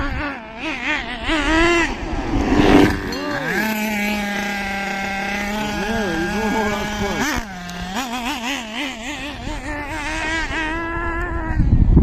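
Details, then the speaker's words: Hobao Pirate nitro RC car engine after turning the top high-speed needle in half a turn to lean it: small nitro engine wails at a higher, crisper pitch with revs increased, but revs still wander and idle gap needs adjusting. "All right, listen. Listen to how the revs have increased now."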